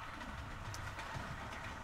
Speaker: it runs really quietly you know the Train's going around now you get a little hum in the background you can hear the joints in the track click CL click and it sounds it sounds SS lovely